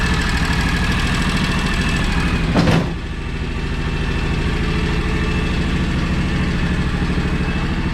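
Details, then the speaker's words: 15+ year old, high-hours John Deere X729 lawn tractor after full service that cured its running-hot issues: steady even low idle with smooth beat, no knocks or misses; runs clean and healthy. "and that was definitely the cause of a lot of my running hot issues but she first like a kitten now and she runs great"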